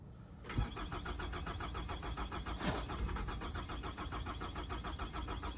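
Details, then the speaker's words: 2006 Nissan Altima with good battery voltage and a cylinder 4 misfire code, traced to an ignition coil making poor contact with its connector: the starter churns at a steady, even rate with one brief near-catch, but the engine never fires. "Okay. So yeah, as the customer stated, it won't start."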